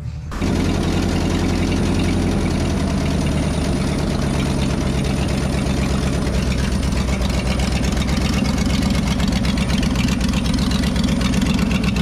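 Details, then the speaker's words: 1968 Ford F-250 390 V8, sat nearly 10 years, just fueled: catches, then loud uneven loping idle with wavering beat; rough idle, possible vacuum leak suspected, unconfirmed. "One idle. That sounds pretty loud to me. An adjuster. Let's see if it's even got vacuum on it. I don't realize it's got vacuum leak."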